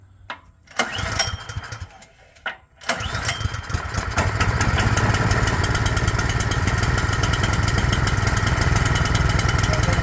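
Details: Craftsman snowblower small engine that sat two years with fuel, after carburetor cleaning and adding a fuel shutoff valve: a couple of pulls, then it catches and runs steady and even, no surging or misfire.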